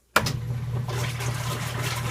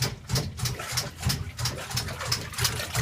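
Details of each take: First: KitchenAid Prestige washer filling normally on normal cycle with a steady water rush and low hum, no clicking; the clicking occurs only on gentle cycle, cause unknown. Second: KitchenAid Prestige top-load washer on gentle cycle: clicking about three times a second over a low motor hum; no clicking on normal cycle; cause unknown.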